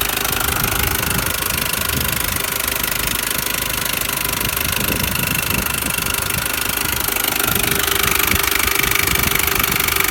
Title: R53 Mini Cooper S Tapping / Rattling noise